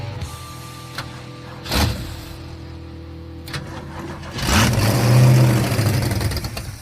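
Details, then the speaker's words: Beaten car: engine catches, idles lumpy and uneven, surges and sags, keeps wanting to die; huge vacuum leaks then found at disconnected lines. "Still wants to just keep dying like that. Does it have a vacuum leak somewhere? Kind of sounds like it does."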